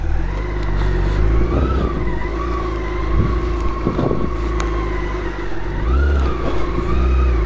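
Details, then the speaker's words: BMW K1600 GTL six-cylinder motorcycle on a ride after a major service, running smoothly again: deep, even drone with wind noise, no knocks or misses; normal healthy running. "as you can hear sam is now sending back to her majestic self"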